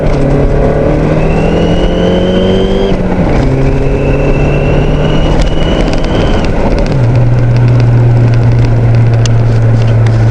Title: Turbo Whine